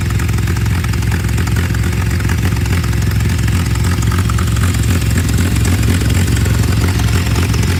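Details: Tractor in neutral with choke out, after revving and blocking the air intake to try to clear a carburettor jet clog, settles to a steady, even low thumping idle; normal idle, sounds better.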